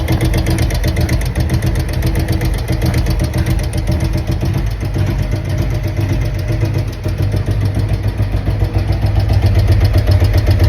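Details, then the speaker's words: 2023 Harley-Davidson Road Glide Milwaukee-Eight 114, with new adjustable pushrods and roller tappets, at idle: fast light ticking up high over lumpy V-twin idle; owner suspects rocker arm. "So, as you can hear it, something's really ticking in there. It almost sounds like uh a tap it, but it sounds up high. So, I'm thinking maybe rocker arm."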